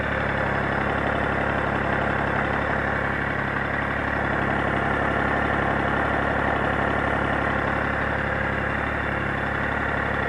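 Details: Gold 1800 flat-six at a flat, steady idle with a faint, fairly even tapping about three times a second running through it; abnormal engine noise, cause unclear.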